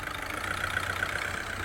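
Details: VW Vento 1.6 TDI diesel: idles quietly and evenly, no knocking or clatter, steady smooth hum; earlier tak-tak noise when moving now gone, healthy.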